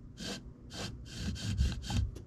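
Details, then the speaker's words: 2005 Kawasaki Brute Force 650 front differential, right side bearing turned by hand during teardown: harsh gritty rasping in bursts about twice a second; rough, worn differential bearing. "bearing's not moving very freely sounds a little gritty not horrible there's no real play in it sounds a little gritty and it's not moving horribly freely"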